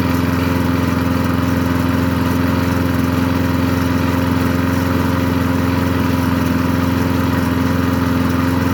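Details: Craftsman 22-inch push mower, Briggs & Stratton 6.0 old-type single-cylinder engine: holds a constant, even drone at steady speed without surging or sputtering, little smoke. Normal running.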